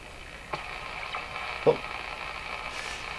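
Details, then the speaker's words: Westinghouse 535 radio after replacing its last two capacitors, no signal generator running: steady high whistle and heterodyne beat tones over hiss, with clicks as the dial moves; oscillation coming in and out while tuning, cause unknown. "you know, that sounds like an oscillation coming in and out."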